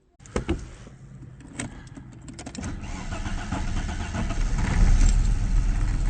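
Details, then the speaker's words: 1994 Audi 80 2.3, head gasket redone years ago, recent stutter on morning startup and white smoke: starter whirs, engine catches with stumbling uneven beat, settles to lumpy idle: head gasket appears blown again. "you can see from the clips that uh we got a bit of a head gasket looking issue again which is not ideal since we did the head gasket a few years ago"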